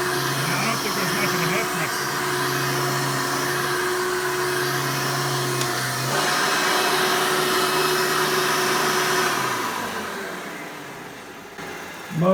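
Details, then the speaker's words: Hoover Elite vacuum (the 88) on the normal setting, fitted with a newer motor from a Hoover 95: a smooth, even motor whine and steady airflow rush that holds level before spooling down. It sounds much better, so the motor runs cleanly. "sounds so much better now now that either Hoover that I robbed the motor from was the 95 this one is an 88 so that motor is a little bit newer"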